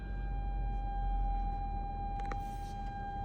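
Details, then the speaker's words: Armada SUV in drive with only dirt and grass ahead: a steady, unbroken high beep from the front parking sensor that will not stop until the sensor button is pressed. It is a continuous false warning. "and this sound will not stop see dirt grass it's trying to alert me that I don't need to run over something but it's dirt"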